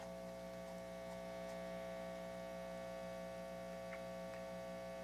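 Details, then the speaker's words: Restored organ tube amplifier, warmed up, on an isolation transformer: steady low hum with a buzzy edge under faint ticking, constant throughout and worse at higher volume; excessive mains hum, much more than its twin amp. "so this one amp has a lot more noise significantly more that's too much"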